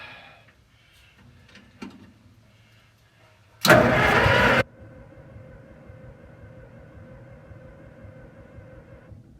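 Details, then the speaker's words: Link-Belt machine engine with updraft carburettor on first start attempt at full choke: about a second of loud cranking that never catches; no spark because the coil wire was not plugged into the distributor cap. "If you look closely here, you can see the coil wire isn't plugged into the distributor cap."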